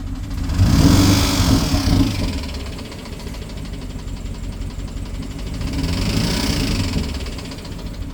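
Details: BMW 750Li N63 V8 at idle after fuel injector and high-pressure fuel pump replacement: rough idle with light ticking, uneven beat and surging; misfire, owner suspects timing chain.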